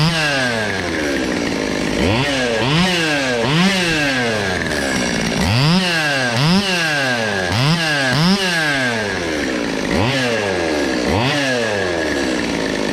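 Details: Cheapest chainsaw from Amazon, after amateur porting and a quick tune: snaps cleanly from idle to high revs and back in quick repeated blips, crisp and even, no stumble or bog.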